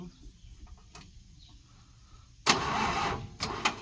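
After a quiet spell, short labored cranking bursts that barely catch and fade: a tired diesel not getting enough battery power to start.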